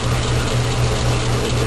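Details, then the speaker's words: Logan lathe in back gear turning medium carbon steel railroad spike, interrupted cut: rough, ratchety whir with uneven rattle as the change gear idler seizes, its keyway gouging the brass bushing; fixed by modifying the half key; binding idler gear. "And now it just spins spins fine on that bushing. Uh so that was the problem. My keyway was gouging into my uh little brass bushing."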